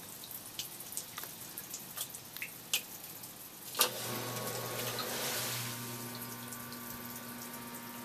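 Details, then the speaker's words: Septic system effluent pump after clearing a high-level alarm: a click, then a steady low hum with faint whine over trickling water as the float is lifted; pump cleared of debris with a power washer, running normally. "so hopefully you can hear that pump running so my case i got a little lucky just by using the power washer and spraying that crap and uh no pun intended debris from around the pump it's been working fine ever since"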